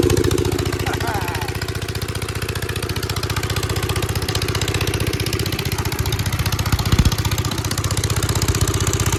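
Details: 1946 Gravely Model L single-cylinder, revived after about five years unused, started on ether with a suspected faulty carb float, in neutral at mid throttle: steady putt-putt at about four beats a second, firing evenly with no misses or knocks; idles fine.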